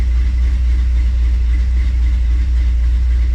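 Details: 1957 Chevrolet Bel Air, 327 V8 with TH400, cold start at 78 degrees, idling around 900–1,000 rpm with a steady deep, slightly loping beat; normal cold idle from a lumpy cam, expected to calm as it warms.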